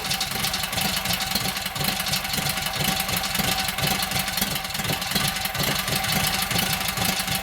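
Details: Kohler KT17 twin, rebuilt after lost governor, first start, oil pressure 50: even quick chuffing idle, steady rhythm, no knocks or misses; governor works, timing sounds good, carburetor needs tweaking, owner unsure about plugs; normal idle.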